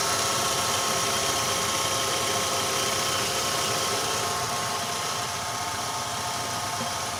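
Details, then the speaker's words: Ravon R3 after alternator belt and pulley grooves cleaned to cure a morning whistle: smooth, even idle with steady hiss, no whistle or squeal above it; normal idle. "вот ничего абсолютно каких работы других свистов нет"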